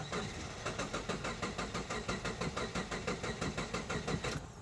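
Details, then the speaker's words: Late-model Subaru cranked with the fuel pump fuse pulled to release fuel pressure before pump replacement. Steady cranking at about one and a half compression pulses a second that never catches, then stops: no fuel reaching the engine. "So now we'll crank the car. It'll probably start and then it'll die off. Crank it a few more times and that will release all of the fuel pressure in the system."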